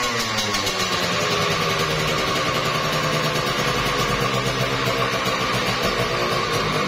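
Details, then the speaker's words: Kawasaki Ninja RR two-stroke, overbored, block and piston check with fuel fed by hose: crisp, even buzz, no knocks or rattles from the bottom end, slight smoke; normal running. "Ini untuk mesinnya halus banget ya bosku. Dengar ya, ini halus banget."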